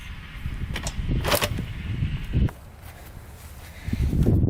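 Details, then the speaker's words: 1987 Kawasaki Tecate 4 250cc two-stroke quad: repeated dull kick thumps with no firing, because the kill switch was in the off position; the middle position is run. "That's the kill switch. It's supposed to be like that. I thought over here was on, but I guess it's in the middle is on."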